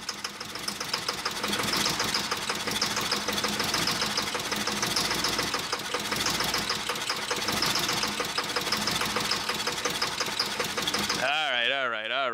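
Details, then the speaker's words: 1988 Camaro IROC-Z first started after 27 years stored, run on starting fluid at full throttle: engine racing hard with heavy fast metallic clanking, heavy engine knock; owner thinks the engine is bad, cause unconfirmed. "poor little guy this thing is definitely clanking away like none other"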